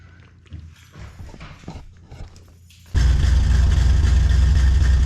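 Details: 1988 Cadillac Brougham on first start after fitting new Walker bolt-in one-piece exhaust and muffler; after a dog barks the engine catches and holds a deep even rumble with no ticking or puffing leaks, exhaust sound.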